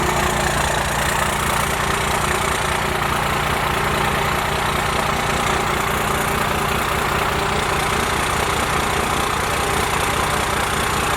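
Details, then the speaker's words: Cummins diesel with 4" straight pipe, before advancing injection pump timing: loud, lumpy, very slow idle with an uneven rough beat; idle set too low and running rough. "Alright, so as you guys can see, idle needs to be bumped up for sure. And the timing, hopefully advancing it, helps it out a lot more too. Because the truck sounds like crap right now, to be honest with you."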